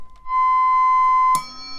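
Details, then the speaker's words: 1950 Hallicrafters S-38B receiver after capacitor and resistor replacement and full alignment including BFO: on an AM station a clean, steady heterodyne whistle near 1 kHz holds about a second, then cuts off. The BFO is beating its tone against the signal normally. "you can hear a little bit of that's a hetradine on that AM station. That may affect us some on the tuning, but I that's it's doing what it's supposed to. It's it's beating the tone um against the signal."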